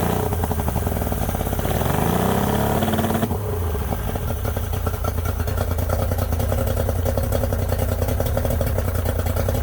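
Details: Yamaha 90hp three-cylinder two-stroke outboard on a 16ft bass boat, carbs cleaned twice, plugs and coils swapped: rough, lumpy, stumbling beat at idle and on a brief rev because #2 cylinder won't fire; cause unknown.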